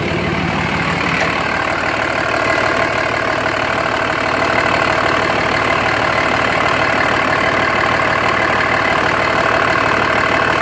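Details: 2004.5 Dodge RAM 2500 Cummins diesel at idle: steady loud clatter with uneven knocking beat around three per second; rough idle, owner unsure if normal and notes excessive vapor from oil fill cap, suspected blow-by.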